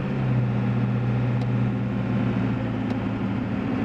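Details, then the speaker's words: 1990s Ford F350 7.3 Powerstroke diesel on Mickey Thompson Deegan 38 315/75/16 mud tires at about 70–72 mph on the highway, in-cab. A steady low drone and hum in an inherently loud truck is normal mud-tire road hum. "this truck is inherently loud to begin with so the tire noise is just another walk on the fire"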